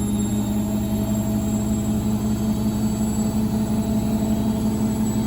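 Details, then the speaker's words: Indesit IWDC6125 washer dryer, after draining problems with suspected faulty or blocked pump: steady hum with even rhythmic swish about three per second; drum spinning normally. "Certainly spinning now. It's doing its thing."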